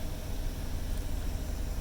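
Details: Chevy Silverado 2500HD idling after oil pressure sensor switch replacement, gauge now showing oil pressure; steady, low, even rumble with no knocks or ticks; engine idling smoothly.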